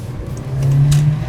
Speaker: Holy cow. It feels like it's running on four cylinders all of a sudden. Is it really? That must have been really bad before cuz I feel like I have so much more power.